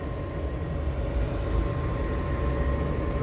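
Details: Webasto-type diesel air heater (12/24/220 V, 2.5-litre fuel tank) newly fitted in a Dacia Dokker, first run: steady soft rumble, constant fan hum, faint whistle, no sputtering; slight exhaust smell, burning evenly, normal running.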